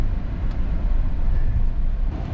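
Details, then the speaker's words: GM 8L90 8-speed automatic after transmission temperature sensor replacement (code P0711, harsh 1st-2nd shift): smooth steady drivetrain drone pulling away, no clunk through the 1-2 shift; normal shifting. "oh no clunk so it's good to go it is awesome"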